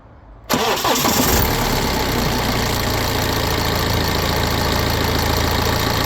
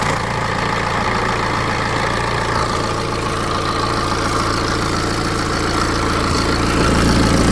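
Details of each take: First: BMW 320d N47 diesel, 181,000 miles, cold start after sitting over 24 hours, after upper timing chain tensioner replacement: a short, faint chain rattle fades within about two seconds into a steady idle, quieter and shorter than before. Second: BMW 320d N47 diesel at 181,000 miles, cold start: dry, fast metallic timing chain rattle for about five seconds over the diesel clatter, caused by the upper timing chain tensioner, before its replacement.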